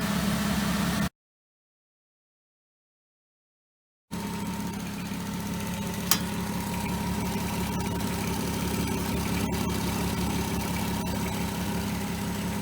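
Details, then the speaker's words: 2003 VW Eurovan VR6 after timing chain, guide and gear replacement: after a short silent gap, smooth, even idle with no ticking or tapping from the front; previous chain racket gone. "i mean that tap tap tap tap tap chain noise racket gone"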